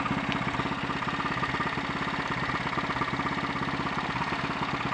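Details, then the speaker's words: Honda XL 350 single, head gasket recently replaced, on a test ride: fast thumping exhaust that stumbles and splutters, bogging on acceleration; misfire to be investigated starting with points and carburettor float bowl. "that was anything but enjoyable on both the misfiring and the handling fronts, but it confirms one thing: it's time to break out the spanners and have a look and see if I can get to the bottom of this."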